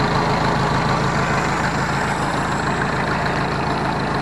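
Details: Ford 641 Workmaster tractor after refitting original alternator fan and pulley to stop belt rubbing: steady even low idle with smooth firing rhythm, no scraping; good oil pressure and charging.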